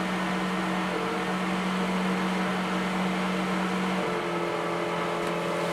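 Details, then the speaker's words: Suburban DD 17DSI RV furnace blower motor: steady hum that rises, then drops in pitch and settles lower; motor is tightening up, hitting dead spots and surging, drawing extra power. "you can hear it it went up and then down so the motor is starting to tighten up a little bit"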